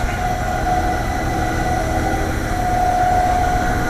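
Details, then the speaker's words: AAON 5-ton rooftop HVAC unit, fan motor: constant mid-pitched hum and rumbling drone, motor wobbling too much; suspected worn bearings going out; fan motor noise. "so I went ahead and took the liberty of sparing you me taking out all the bolts the fan motor cuz I stopped it and Marie started it and I think the bearings are going out that thing's wobbling a little bit too much"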